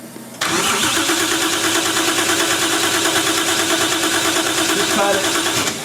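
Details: 1JZ VVTi swapped into a 240SX, retried after charging the battery: starter spins the engine at an even cranking rhythm for about five seconds but it never fires; crank, no start.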